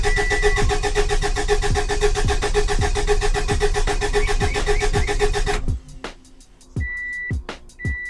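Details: Subaru Baja Turbo, freshly rebuilt engine, first start with fuel pump fuse pulled: steady cranking about four turns a second without firing, then stops with a dash chime; priming oil until the oil pressure light goes out.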